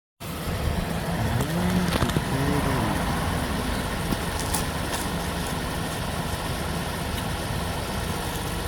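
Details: 2011 Toyota Sienna XLE AWD minivan at idle: a few sharp pops and clunks as the steering wheel is turned, also when pulling in or backing out of tight spaces; rides fine, no other noises driving.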